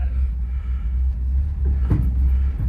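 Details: Rat rod: low rolling rumble, then a sharp banging clunk from the left front on braking and on release; owner first suspected a loose brake adjuster.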